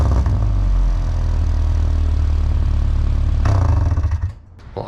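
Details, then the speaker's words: High-mileage Subaru after repair, old rusted exhaust section replaced with a glass pack and cheap aftermarket muffler; deep, steady low drone through a short rev, no raspy blowing or rattling; sounds much better, exhaust sealed and healthy. "would say that sounds a lot better than it did now it's not quite as ridiculous"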